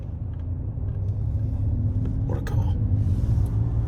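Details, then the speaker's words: Car driven after the loose front wheel, first suspected to be a drop link or ball joint knock, was tightened; only a smooth low road rumble is heard with no clunks from the front corner, so the knocking is gone. "There's no knocking. And it's usually been knocking like hell now, yeah? Oh, you'd hear it 100% by now."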